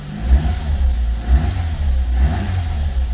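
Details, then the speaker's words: Carburetted Renault 5 small petrol engine, cold start after two weeks unused, on choke, new air cleaner fitted: blipped a few times, revs rising and falling cleanly with no knocks or rattles; normal cold engine revving. "Give her a minute to get warm and then we'll give her a bit of a rev."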